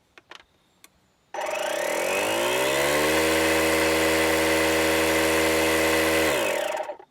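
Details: DeWalt 20V MAX DCC020IB cordless inflator set to 86 psi: the motor spins up over about two seconds to a steady high buzz, holds evenly, then winds down. Running normally at full speed.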